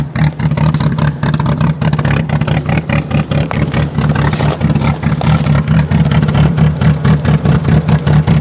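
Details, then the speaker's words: Cavalier at 0°F cold start: lumpy, uneven, very rough idle with a loud rotary-like rap-rap-rap about two beats a second, the worst it has sounded in a long time; cold engine running rough, cause unknown. "oh oh she sounds terrible sounds like Kim v8 oh you poor car oh [Music] hey so sorry it does not want to let go take that sounds terrible"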